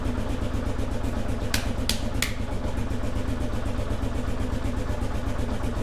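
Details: 2001 Kawasaki KLR650 single, first start after sitting about 4 years, with new battery, spark plug and cleaned carburetor, choke not controlled, warming up: steady even idle thump with brief high ticks and a little squeak; normal idle.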